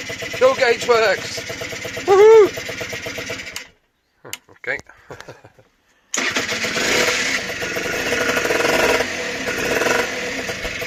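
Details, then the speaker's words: Honda NH80 Vision two-stroke scooter during restoration, running with the oil pump confirmed working; after a short pause settles into a steady, even buzzing idle with no misses. Normal two-stroke idle. "what a result right as you can hear she's running nicely and the best part is the oil pumps working so that's good"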